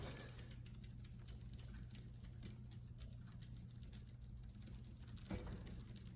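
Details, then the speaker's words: 2001 Specialized RockHopper bike after final front derailleur limit-screw adjustment, cranks turned by hand: only the light, regular tick of the freewheel, no rubbing or scraping; quiet drivetrain. "Oh yeah, now we're talking."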